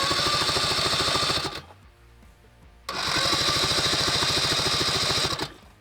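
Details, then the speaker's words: Vespa 400 microcar engine left in a barn over 30 years, cranked after its breaker points were sanded clean. Two bursts of fast, even starter churning never fire: crank, no start, no spark. A cable was later found disconnected. "Nothing. What could be the problem? That's all right. I mean, that sounds seems like a problem."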